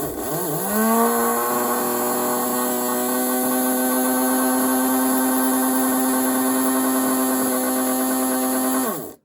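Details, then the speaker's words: Vintage 1957 Revell HO Union Pacific 0-6-0 saddle tank model locomotive motor, powered while held in hand: smooth, steady electric hum that spins up quickly at an even pitch with no rattles; motor healthy. "let's hold it this oh that sounds really nice and healthy"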